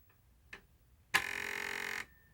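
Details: PlayStation 2 disc drive with a disc loaded and the door closed: quiet tick, then a harsh buzzing rattle for about a second as the disc spins up; noisy drive, owner suspects the lens flex cable, cause unclear.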